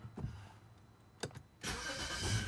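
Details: BMW F10 535i N55 after replacing a failed starter with a Bosch unit, battery reconnected: a couple of clicks, short crank, engine catches immediately and settles into an even idle; starting normally.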